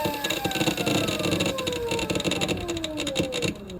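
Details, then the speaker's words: Electric motorcycle (ELX600 build, 96V battery) with phase current overflow, old controller at PID settings (Ki 4/8/12, speed Ki 9, KP 10): falling electric whine with rough crackly bursts as motor slows; controller driving motor harshly. "really nasty but once I put all start mid and Max kis at 111 and speed KB down from 5 to zero"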